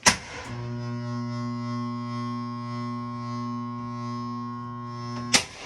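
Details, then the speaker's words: Carrier furnace model FH4CNF003: when the furnace comes on, a steady buzzy electrical hum for about five seconds with no spin-up and no air blowing; blower motor tries to start but fails. "The problem with this one is that when the furnace comes on, it makes a noise like it's trying to start."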